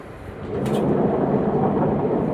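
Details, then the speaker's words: Washing machine with drum noise during wash: deep, rough gritty rumble as the drum turns; worn drum bearings, to be replaced with bearing and oil seal, after which it runs silently. "இப்ப வந்து அத drum கழட்டிட்டு அதை வந்து அந்த sound என்னன்னு bearing மாத்த போறோம். அத சவுண்ட பாருங்க இந்த சவுண்ட் எவ்ளோ ஓவரா சவுண்ட் பாருங்க."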